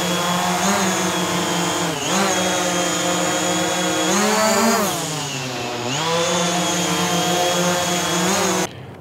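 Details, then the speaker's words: DJI Mavic Air hovering with Master Airscrew low-noise propellers: steady buzzing drone, pitch gently rising and falling as it holds position, smooth and even; about as loud as a Mavic Pro with low-noise propellers, normal hover. "so the Mavic Air with the Master Airscrew on, about the same volume as the Mavic Pro with the low-noise propellers on. So, pretty impressive."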